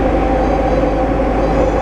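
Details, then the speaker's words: Diamond DA-20 (N139DA) doing accelerated stall practice in a steep ~60° bank at about 2G sustained. A faint steady stall warning horn sounds over the loud engine and cabin drone, short of an actual stall. "can hear the stall warning horn going off."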